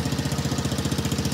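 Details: Small Chinese kids ATV single-cylinder after carburetor cleaning, wheels in the air with idle set so centrifugal clutch doesn't drag: quick even popping, steady, no misses or knocks — normal idle.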